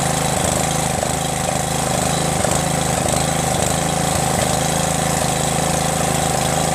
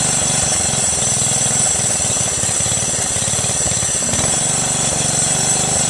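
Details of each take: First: Craftsman LT1500 lawn tractor repowered with a 12.5HP Briggs engine, carburetor, exhaust manifold, starter and stator swapped over: steady single-cylinder putter at fast idle, even firing, no misses or knocks; brief sound was a guide touching; lots of oil in the engine. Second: Craftsman LT1500 lawn tractor repowered with 12.5 HP Briggs engine, running at idle after oil-filled cylinder was cleared: steady single-cylinder thump with fast metallic chatter; a belt guide keeper touching a nearby part.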